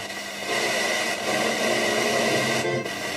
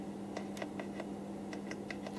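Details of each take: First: Roberts R900 radio after repair: music comes through clear and steady with no crackle, hiss or dropouts; set receiving cleanly. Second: Roberts R900 radio: sharp, irregular clicks, about eight in two seconds, over a steady low hum from the audio output. Suspected DC offset on the preamp, unconfirmed.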